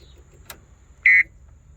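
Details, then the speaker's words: John Deere 318D skid steer, about 50°F morning, battery dead and not holding a charge: key on gives only short, thin high beeps, unlike the normal buzzer, with no crank. Battery too low to crank. "The battery's too low that we can't even get a crank. and that's not how the buzzer normally sounds."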